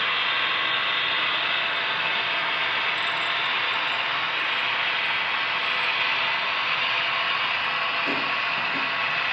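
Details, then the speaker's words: HO scale GP35 model locomotive 2821 running in a multi-unit consist on a DCC layout: continuous high, thin squeal with faint chirping, a mechanical issue, not the sound decoder. "it sounds like 2821 is still in the game squeaking mode yeah that's some kind of mechanical issue it has nothing to do with the sound decoder"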